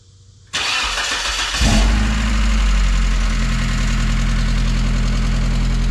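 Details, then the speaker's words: 1994 Mazda Miata after starter replacement, first start after sitting 3.5–4 months; cranks, catches and settles to fast idle with light rapid ticking, owner expects the ticking to go away. "Oh yeah. That old ticking will go away. This thing's been sitting for about 3 and 1/2, 4 months. Sure is good to hear it start up and run."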